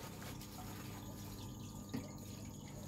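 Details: SunSun HW-603B external canister filter for 40–80 cm tanks (400 L/H, 6 W, 12 mm hose), test-running in water: steady soft trickle and splash over a low, even pump hum, with no rattle or surging. The filter outflow is normal.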